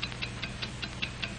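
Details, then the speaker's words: 1949 Hamilton Watch Co. film: a fine mechanical watch ticking steadily and accurately at five ticks per second. Crisp, even ticks of equal strength with no dragging or skipping. Normal watch ticking. "what do you hear it's the ticking of a fine watch wherever you go whatever you do America's fine watch tick steadily accurately on five ticks every"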